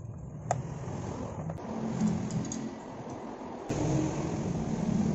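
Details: Honda CB150R after repair of a rough, noisy engine with ticking, cam timing marks realigned and cover refitted; low even idle with no rattle or ticking over some handling noise, earlier ticking gone, normal idle.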